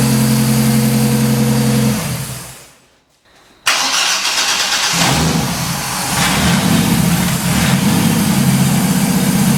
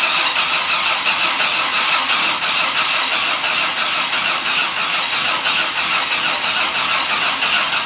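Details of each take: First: 1983 Ford Fairmont Futura, turbo Vortec 4200 DOHC VVT inline-6, start after ECU trigger fix (rising to falling edge): cranks, catches cleanly, settles into even, steady idle with no misses or knocks; normal start and idle. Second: 1983 Ford Fairmont Futura with swapped turbo Vortec 4200 DOHC VVT inline-six, first start attempt: even starter churning for eight seconds with no catch or firing; cranks but won't start, fuel pump not running while cranking.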